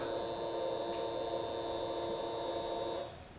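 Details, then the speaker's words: Fuel pump priming at key-on on a 2022 Honda Grom after installing a PCX150 fuel injector ahead of a 140cc big bore kit; steady thin buzzing hum about three seconds, primed longer than usual, then cuts off cleanly; normal priming. "you can hear the sound actually sound like it primed that time longer than it usually goes turn it off and let it go one more time"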